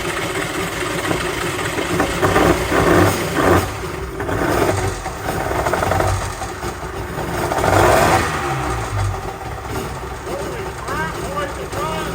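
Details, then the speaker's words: Polaris SL750 jetski two-stroke, after priming the carburetor fuel bowl: loud, raspy drone swelling and easing with throttle, firing cleanly without misses; healthy runner, much stronger than two-cylinder Yamahas. "this thing sounds insane compared to those two cylinder Yamahas like holy crap this sounds good"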